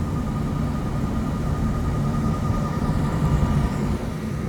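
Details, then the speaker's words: Commercial exhaust fan belt drive running smooth and quiet after mismatched, poorly riding belts were replaced, tensioned and adjusted; it had squealed badly once the pulleys warmed up. Steady even rushing drone, faint hum, no squeal or chirp. "now we're running um everything's good and uh we're gonna give the customer the keys and uh tell them to keep an eye on it"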